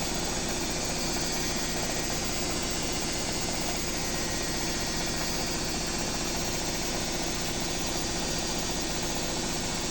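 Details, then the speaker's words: Own BWS24 washer on 4-minute spin, ramping up as timer hits 3: steady even whirring with faint high whine, no knocking or banging, only the whine heard when calm. Normal spin cycle. "A minha única coisa que se escuta é o grito. Quando tá tranquila."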